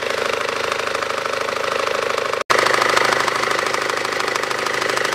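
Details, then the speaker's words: 2012 SsangYong Actyon 2.0 diesel, manual, 4WD, 77,000 km, idling with AC on: steady rapid knocking about three per second, heard via bottle stethoscope from the lower belt drive; owner unsure shoe or tensioner; belt tensioner knock. "слушал с бутылкой и такое впечатление что стуки идет именно с нижней части я подозреваю что этот c2 усиливает"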